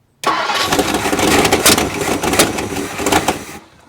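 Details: 1958 Mercury Montclair Turnpike Cruiser, not run since at least 1994, no coolant in it, gas pedal pumped before cranking: uneven starter churning for about three seconds with a few ragged catches, never settling into a run before it later fires.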